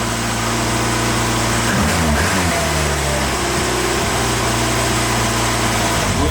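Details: Classic car under restoration, after interior and instrument cluster reassembly, not run for about 5 months, little or no gasoline: loud steady engine note holds even with no stumbling or misses; engine running normally.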